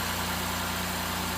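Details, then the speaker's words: Honda J35 V6 after replacing a failed, leaking hydraulic timing belt tensioner that caused a knocking mimicking internal engine failure: smooth, even idle with a steady low hum; knocking gone, a few air bubbles still bleeding from the coolant. "But as you can see, and here I should say, knocking noise is gone. Vehicle is back to normal, ready for another 150,000 mi of life."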